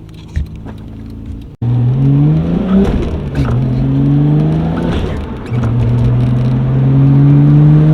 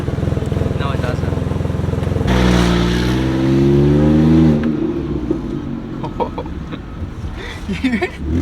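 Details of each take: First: R32 Nissan GT-R on the road, coilovers maxed out: engine note climbs smoothly through each pull with crackles on throttle lift, normal turbo spool and exhaust pops. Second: BMW 128i with stock exhaust: sharp regular puffing at idle and a raspy blare when revved; exhaust leak, location not yet found.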